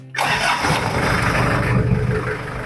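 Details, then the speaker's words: 1996 Daihatsu Taft Independent conventional indirect-injection diesel, cold start after glow plug lamp goes out: short crank then catches at once into a steady, even characteristic clatter, no blow-by smoke; healthy cold start. "Ini suaranya masih ciri khas banget ya, masih belum ngobos. Aman."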